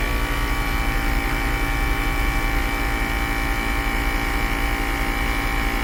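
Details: 2010 Mercedes-Benz GL450 air suspension compressor, newer OEM-boxed unit, lifting front and rear after passenger-side airbag/valve body problem: steady fast pumping drone with slightly loud buzzy edge, no knocks or stalls; normal, filling quickly.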